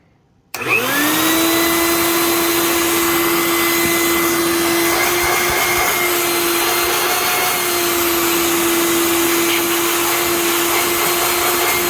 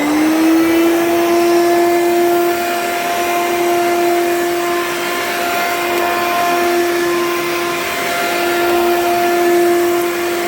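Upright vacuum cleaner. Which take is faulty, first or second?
second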